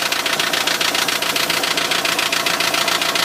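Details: Renault Trafic van, 2.0 dCi M9R diesel at idle: sharp, regular ticking knock, just under two per second, clacks over the idle; injector suspected, cause not known.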